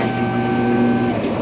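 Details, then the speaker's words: Power window, engine idling: steady thin electric whir while the window doesn't move, switch voltage dropping and idle changing when pressed; bad window motor suspected rather than bound regulator, not confirmed. "thing's got a bad motor I believe I can actually hear the engine change idle speed when I push the switch down and the window doesn't go down"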